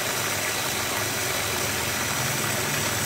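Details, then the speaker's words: Water pump on an Automatic Pump Control (APC) with a flow sensor, tap opened only slightly: constant steady hum and water rush, no surging or cutting out; the pump stays on at full output as flow is detected — normal running. "nah meskipun kita Nyalakan sedikit ya pompa ini tetep nyala full seperti ini karena dianggap cetok"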